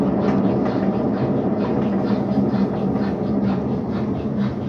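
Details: Brastemp BWC 10 kg washing machine on spin: a loud, coarse rumble pulsing about three times a second from a worn drum bearing. The bearing seal is leaking, and the fix is the complete mechanism kit.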